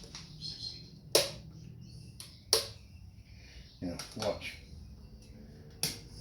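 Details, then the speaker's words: Workshop item giving sharp, irregular popping cracks a second or more apart like an arcing short, occurring now and again; owner suspects a faulty (dummy) switch, not confirmed. "watch it pops it's like a short well he does it every now and again i think it might be a dummy switch"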